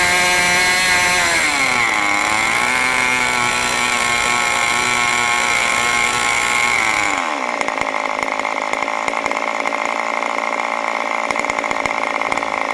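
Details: New OS 40 FSR model engine, second tank during break-in: a high-pitched scream at very high rpm dips briefly near two seconds, then climbs. The high- and low-speed needles still need setting.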